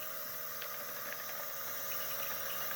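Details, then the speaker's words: Workhorse chassis 8.1 Vortec in-tank RV fuel pump bench-run on 12 volts; quiet steady high hum with soft hiss, no surging or grinding; normal fuel pump operation. "so as you're driving down the road that's what's happening all the time constantly"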